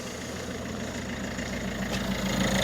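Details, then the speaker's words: Peugeot Expert diesel van idling right after a DIY cambelt change and full service: steady mid-pitched clatter, no crunching or loud ticking; sounds a lot quieter than before, normal idle. "To be fair, that sounds a lot quieter than it did when I..."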